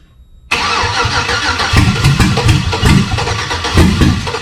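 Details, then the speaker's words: Chevy V8 swapped into a Jeep Comanche: starter turns it over in uneven surges but it never catches. Fuel pressure and spark have been confirmed, yet it runs only on starter fluid. "we did not make the engine run but we got oh so close"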